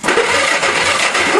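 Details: Go-kart engine, two test spark plugs on the leads: starter spins the engine briskly and evenly but it never fires; no spark, owner suspects dirty points needing sanding.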